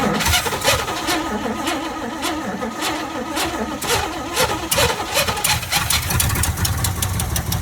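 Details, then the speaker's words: 1979 Chevrolet C30, fuel hose off, fuel poured in the carburetor: cranks, catches and sputters unevenly a few seconds then won't keep running; little fuel coming up, fuel pump likely needs replacing; vacuum leak later found. "So maybe we need another fuel pump. I mean, there was some fuel that was coming up. But it wasn't a whole lot."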